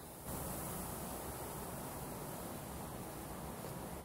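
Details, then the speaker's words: Air system being hooked up on a Yellow Aircraft F-16C RC jet build: constant airy hiss holding about four seconds, air escaping; owner suspects the filler valve itself, not confirmed. "that hissing is the sound of potential disaster so anyways something's not quite right I think it's actually the filler valve itself"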